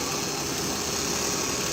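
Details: Ford Taurus after replacing the AC compressor clutch magnet, which fixed rough idle, P1633 code and non-working air conditioning: steady, even idle hum with no stumble or misfire, faint hiss on top; normal idle.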